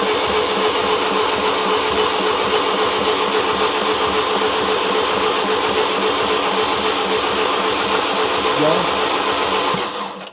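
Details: Fiat Doblo van engine rebuilt after snapped timing chain and rocker replacement, new water pump, injectors out, oil pressure gauge fitted; steady fast cranking churn at about four turns a second that never catches; oil pressure rises to about 15; normal cranking.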